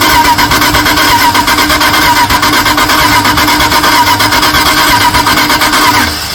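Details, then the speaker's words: 1978 Dodge D150 with 318 LA V8, not seen running before, fed fuel by hand: starter churning with ragged irregular pops that never catch; suspected ignition timing 180 degrees out, firing order believed correct; won't start. "gas it's po it's it sounds like it's 180 out it's going"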